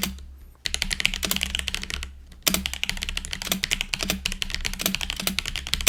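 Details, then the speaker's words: GoPolar TKL budget keyboard, stock before modding, Cherry-profile caps, external mic: quick clacky typing, the space bar landing deeper and hollower with a loose plastic rattle; stock stabilizer rattle. "okay so as you can hear pretty R Le space bar um it's kind of like a it's plastic so it's kind of more deeper sound which is nice well depending on your preference"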